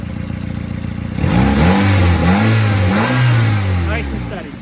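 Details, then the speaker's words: 2001 Nissan Sentra after replacing a dead ignition coil pack (code reader pointed to bad coil; idle misfire when coil unplugged): engine revs up cleanly and settles back steady, no stumble or skip, running smoothly on all cylinders. "you here to change in the in the idle to misfire there you go that's how you change out a coil pack quick backyard diagnosis"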